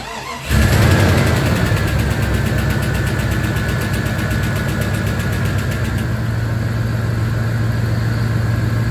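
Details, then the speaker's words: Jeep Grand Cherokee 5.2 V8 cranks and catches after refilling oil (previously no oil pressure registered): brief light lifter tick settling within seconds into smooth, even idle with good oil pressure; normal idle after startup. "You guys hear that lifter tick? It's normal. It's smoothed out. And she's running great."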